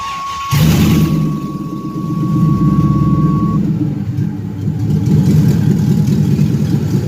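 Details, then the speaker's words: Junkyard 5.3 LS V8 swapped into a G-body Cutlass with a TH350 transmission; compression good, new plugs and wires, a blocked injector cleared, fuel pump primed. Cranks and catches at once, then a steady rumble with light blips, even with no misses. "Whole time the injector had like a mud diver's nest in it, but it runs a lot better now."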